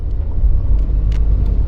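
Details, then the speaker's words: Mini with a manual six-speed gearbox that rattles in forward gears: reversing at the fastest safe speed, a steady low drivetrain rumble with no rattle or knock. Normal reverse gear operation; fault suspected in the gearbox forward gears. "8. I can't go any faster now, I don't feel safe. No rattle."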